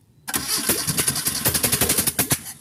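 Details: Carbureted Mitsubishi Lancer, freshly overhauled but poorly done, under test: quick cranking catches briefly then cuts out after two seconds; engine fires but won't keep running.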